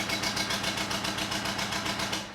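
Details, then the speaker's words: 2005 Audi A4 B7 2.0 TDI sold as a blown head gasket, battery freshly charged: lumpy, uneven diesel idle with a hissy top end and heavy smoke from the EGR/turbo area; owner diagnoses turbo failure. "As you can hear, it's running very, very lumpy and there is a lot of smoke coming out of that area."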